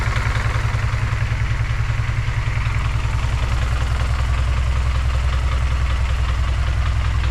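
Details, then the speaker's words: G23/H2B hybrid engine with K-series manifold at first start: deep, lumpy idle pulsing about 2.6 beats a second at roughly 600 rpm; idle set too low and runs rough, needs bumping up. "not but it it do sound kind of rough to be honest kind of Rod kniky I need to bump the idle up"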